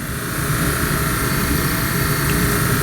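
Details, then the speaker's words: 65-year-old 1954 Mayflower oil furnace burner running, with a new motor and coupling to be ordered: steady, even roar with a low rumble and no knocking, rattle or squeal, firing cleanly. "all right let's see what happens she sounds so pretty we'll mark like all that sounds beautiful"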